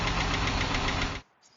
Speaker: all right y'all hear that 3.6 liter VVT variable valve timing 10 star tick we're gonna be changing on it that's your noise is coming from over here nice little ticking hope you all can hear that